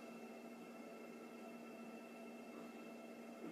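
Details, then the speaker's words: Custom comms cabinet at its likely loudest, fans full speed after the switch's self-checks, about 42 dB measured: quiet steady airy hum with faint constant whine tones, no rattles or surging; normal. "Yeah, about 42. So 42 is quite a high. But at the same time, when I'm talking, it's hitting up into the 60s, so I'm not too worried."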